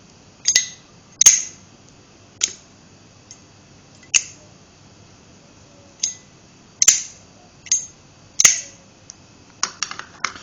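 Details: Brushed chrome slim Zippo lighter, 2004, used daily, lid clicking: sharp, thin metallic clicks as the lid opens and snaps shut; weak sound likely from a weak toggle cam kick, short cam spring, small lid resonance chamber; works normally.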